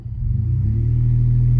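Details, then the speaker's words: Ford F-150 after greasing driveshaft to fix a random, increasingly consistent driveline clunk, pulling away slowly after rolling back on a hill: low smooth engine drone, even pull, no clunk or knock from driveline. "So now, when I start going, everything's tight, no clunks. Sounds good. Perfecto."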